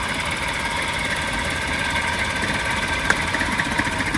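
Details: Maruti car idling unevenly with an irregular stumble, sharp pulses and a chuff-chuff exhaust with a bad smell; one cylinder misfiring from a failed ignition coil, found by pulling plugs one at a time.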